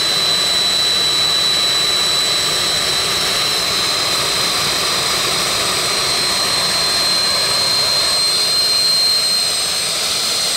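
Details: Jet turbine truck, first start-up after winter, after cleaning a dirt-clogged fuel filter and adjusting the fuel pump: steady high turbine scream with even rushing roar, no surging or sputter; running better than ever.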